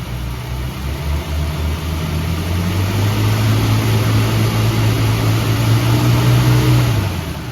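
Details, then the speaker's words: 1965 Ford Mustang V8, revived after sitting 33 years with a locked-up engine, idles low and rumbly then revs to a smooth steady drone; the earlier lifter tick is gone, though it still needs an oil change. "The the lifter tick is gone, so it definitely needs an oil change."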